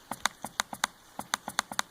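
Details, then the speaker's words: Laptop reassembled and booted after realigning the trackpad pin with its bubble switch: crisp, sharp clicks in quick irregular bursts, clean and distinct; right and left clicks and tapping now work. "right click boom working let's go down here left click it's just really slow but it worked great"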